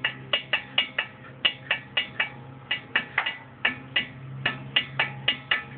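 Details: Ford Mustang brakes making sharp, bright, wooden-sounding ticks about three or four a second, unevenly spaced; brake ticking noise of unknown cause.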